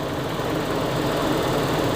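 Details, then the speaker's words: 2000 Toyota Kijang Krista 1.8 EFI just after an oil change, cold start idling before reaching operating temperature; smooth, even low idle with no knocks, ticks or misses: normal idle. "Krista 1,8 Efi uh suara mesinnya Syahdu banget nanti kalau udah tercapai dia akan lebih tenang suara mesinnya"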